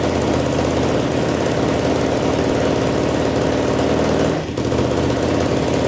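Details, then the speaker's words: 2007 Yamaha YFZ450 quad, bought in pieces after sitting, first start on choke after reassembly: single-cylinder runs with a busy, clattery top-end ticking over the firing beat and no smoke. Owner unsure whether it is the valves or the timing chain, suspecting the chain. "all right well uh it runs pretty good i hear a little bit of tap and noise i don't know if it's the valves or the timing chain"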